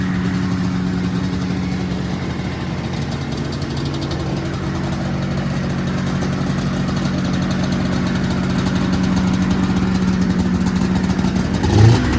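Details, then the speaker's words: 1979 Yamaha SRX snowmobile two-stroke after fuel and cooling system work and fuel pump issues, first run with cooling system hooked up: steady, low buzzing idle with even beat, no misses or knocks; normal idle. "run sounds too bad to me I'm pretty"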